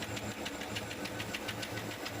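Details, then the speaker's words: GMC engine with excessive noise, louder on one side: quick steady ticking from a stuck hydraulic valve lifter sitting lower than others. "ഇതിന്റെ engine നോയ്സിന് വരാൻ main ആയിട്ടുള്ള കാര്യം എന്ന് പറഞ്ഞാൽ ഈ ഒരു സാധനമാണ് ഇത് വാൾ ലിഫ്റ്റർ ആണ്"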